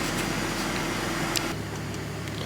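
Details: E46 BMW after replacing an ignition coil to cure a misfire, with no codes on a later read. Quiet, even idle hum with no stumble, skip or uneven pulse under the background noise. It idles smoothly and healthy.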